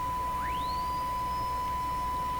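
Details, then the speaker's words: Hallicrafters TW2000 World Wide radio on the 6 MHz band: clean whistle sweeping up from about 1 kHz to a steady high tone, estimated 2–3 kHz, over hiss; heterodyne whistle marking the tuning center of a station, suspected, not confirmed. "well that that heterodyne really marks the center of the tuning very very clearly I think my theory is correct that's a pretty high frequency there"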